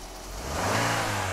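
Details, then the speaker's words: Used seven-seat three-row family car, engine revved: revs rise smoothly with no stumble, shake or odd noise, engine mounts stable; sounds healthy. "Hai suaranya masih bagus Hai suaranya masih sangat langsung suaranya bener-bener masih enak ya kedengarannya enggak ada yang pincang Nggak ada suaranya ini yang beda"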